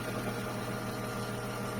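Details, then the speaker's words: Mercedes 124 with M104 engine, first start after timing chain and crank pulley replacement for a head knock when warm: smooth, even idle with steady low hum and no top-end clicking or tapping; normal idle. "Ну вот всё всё собрано мотор работает первый запуск всё"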